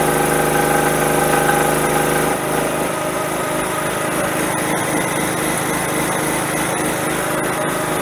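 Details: Generator converted to a tri-fuel carburetor, running on propane: steady buzzing run, pitch settles slightly after two seconds, no misses or surging; runs normally, though propane keeps flowing as the regulator diaphragm doesn't shut off.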